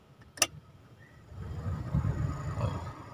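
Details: Toyota Avanza double blower that was snoring, after a glue repair: soft, even low whoosh with no rattle, scrape or wobble; the fan wheel now spins quietly, normal blower operation.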